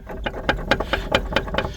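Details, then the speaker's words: 2008 Dodge Ram 1500 jacked up, inner tire edge worn: sharp clunks about four or five a second as the front wheel is rocked, about 2 inches of play and hub seized; worn-out front wheel bearing. "There's like 2 inches of play in this wheel. Holy crap. I can't believe it didn't fall off."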